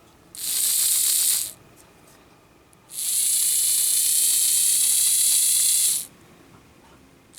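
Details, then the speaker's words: Lima Express Parcels van model railcar drive with a 3D-printed replacement for a broken small gear, 9-volt battery on rear contacts: bursts of high buzzy rasping whir at each power-up; gear suspected rubbing on back of wheel, not confirmed. "just looking at the um gear compared to the original and it looks like it's probably rubbing just a bit on the back of the wheel"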